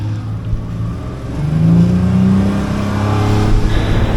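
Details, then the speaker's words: Outboard boat engine after replacing the fuel/water separator (previously chugged and stalled getting on plane): engine note climbs smoothly onto plane under load, no stumble or cutting out; fix successful. "Up on plane. Pretty quick, sounding good. Nice."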